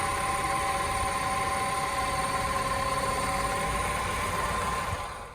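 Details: Peugeot 308 1.6 VTi 120 hp EP6 engine at 87,000 km, about 10,000 km after head valve-seat repair: steady clear whistle around one kilohertz over smooth idle with accessory belt on; worn water pump, replaced.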